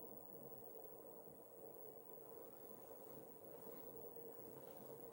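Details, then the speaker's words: Pulse motor on maglev bearing, run from power supply charging a battery: very quiet, even hum with faint steady tone, no rubbing or knocking; levitated rotor spins smoothly. "All right. Now with the maglev, it is super quiet. Super quiet."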